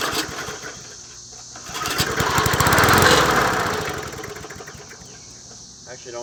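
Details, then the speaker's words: Old Murray 20" push mower #20201D, missing its gas tank, on the first start attempt with fuel sprayed in. The single-cylinder engine surges for a couple of seconds, then fades as the fuel runs out; it sounds fairly clean and runs okay. "okay well it runs okay actually don't sound too bad"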